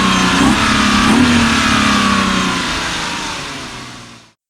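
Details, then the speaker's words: BMW E36 323i with M52B25 single-VANOS petrol straight-six, after camshaft position sensor replacement; ECU relearning after battery reconnect. Clean, even rev rise and smooth fall-off, no misfire stumble or ticking; pulls freely, normal revving. "Definitely turning a lot better. Oh yeah."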